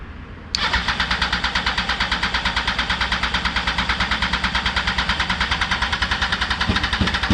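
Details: 2004 Yamaha R1 unstarted for over 10 years, after fresh fuel replaced old fuel and the pump was primed: the starter spins steadily at about three pulses a second for seven seconds, but the engine never catches.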